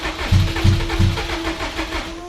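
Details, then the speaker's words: Low-mileage 600 hp drag-racing Subaru WRX that sat about 15 years; cranking with starting fluid (ether) gives three quick low thumps about a third of a second apart, catching briefly but never running. "I don't think this thing wants to run. Just a little bit of starting fluid. More ether solves all problems. It ain't starting."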